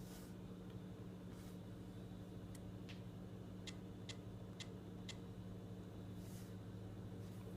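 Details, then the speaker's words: iPad mini: sharp irregular little clicks whenever typing over a steady low hum; believed a software bug fixed only by factory reset without restoring backup. "iPad mini started making some extremely weird noises."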